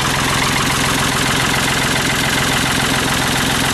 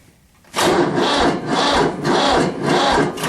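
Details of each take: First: Diesel tractor, battery that had lost fluid and was topped up with water, boosted with a Black & Decker jump starter at about 32°F: catches quickly and settles into a steady, even clatter with no misfire; healthy cold start. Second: Tractor, cold start at about 30–32°F: slow, labouring crank with about two heavy compression strokes a second and no firing; battery too weak in the cold, booster pack needed.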